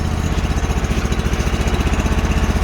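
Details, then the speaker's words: Sears Suburban snowblower with 20 HP Briggs & Stratton V-twin, cold, choke taken off early, almost out of fuel: loud, lumpy, loping thud of about twelve beats a second; owner suspects it is running on one cylinder. "the seat is just getting destroyed look at her she's gross and sounds like she's kind of running on one probably is that's probably what the problem is let that warm up for a bit"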